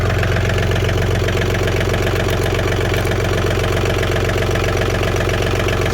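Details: John Deere 4410 three-cylinder 55 hp diesel tractor after fixing a stalling no-start caused by gelled fuel in the tank: deep, steady diesel clatter at an even idle, about four pulses a second, no stumbling; fuel delivery now healthy.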